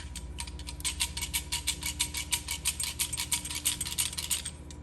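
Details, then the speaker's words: Yamaha R1 clutch removed from the bike and shaken by hand: loose metallic rattle bursts, about three a second, from shrunken primary-gear damper springs behind the one-way clutch rattling in their shell. Customer hears it in neutral with clutch released; harmless. "Wow, pretty loud. So imagine that as the bike's idling. Pretty concerning if you don't know what that sound is. So just behind our one-way clutch, we have our damper springs."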